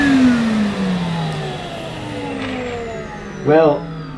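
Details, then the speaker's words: Numatic Henry vacuum with Aero turbo brush on Saxony carpet: whirring tone sinks steadily lower over a few seconds as brush roll slows, brushes not spinning fast; owner blames the carpet choice rather than the brush. "aero brush is certainly a lot easier to push on my saxony carpet but i don't think the brushes were spinning very fast at all it was slowing down"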